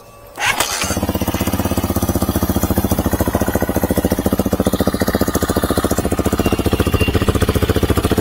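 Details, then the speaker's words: Hawk DLX motorcycle with Delphi EFI ECU just flashed with a very rich tune via HUD ECU Hacker: one kick and the single fires, settling into a steady even thumping idle; battery too low for electric start, cold engine reluctant. "had to help it with a little kickstart because I knew the battery was too low. These bikes don't like to run cold."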